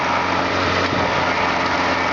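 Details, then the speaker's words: Suzuki SJ413 Samurai off-road truck, front electric winch powered up and running with the engine idling: steady, even motor drone with no grinding, slipping or stalling; the winch works normally. "is working absolutely fine. I recently had this pull me up a near vertical slope not so long since."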